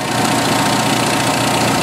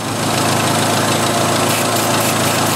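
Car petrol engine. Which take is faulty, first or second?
second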